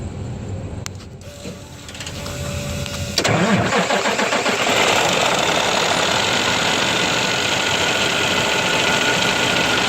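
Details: Cummins ISX diesel with a bad fuel pump. It cranks for several seconds before catching, then settles into a loud, slightly uneven clatter, showing hard starting and rough running.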